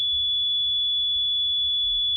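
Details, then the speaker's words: Vintage RCA tube audio generator after tube testing (all good), cleaning chassis sockets and pots, especially volume potentiometer: steady pure high sine tone, even, no wavering or crackle, smooth and loud, a tad louder than before; clean healthy output. "So it's nice, smooth, and loud."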